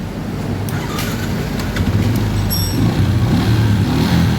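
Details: Yamaha Jupiter MX that wouldn't start despite new battery, overheated fuse holder rather than starter relay found at fault: quick starter whir, engine catches and settles into steady low idle; starter cranks fine, charging good.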